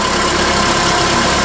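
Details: Nissan forklift with a cranking no-start complaint, now reassembled after repair with an oscilloscope on the cam and crank sensor signals. It holds a steady, even idle with a smooth hum and no knocks or misses, running cleanly.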